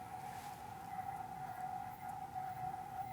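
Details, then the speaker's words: $100 NEMA23 180W 3000 rpm easy servo on lathe electronic leadscrew, stiffness raised from default 11 to 13: steady mid-pitched hum getting louder, stiffer response; near resonance, which hits at 14. "that's definitely a little bit stiffer not quite as stiff as i would like but it's better let's keep going 13 and it just got louder still"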